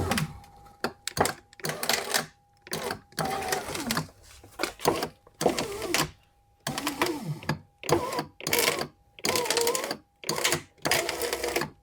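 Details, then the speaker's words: 2011 Mercedes E-Class door window regulator, door panel off: short bursts of strained grinding motor noise as the window is run; motor spins but won't drive the glass up, owner suspects a broken cable end. "Ooh, this sounds like it could be the gears in here. Okay, that's not driving anything anymore."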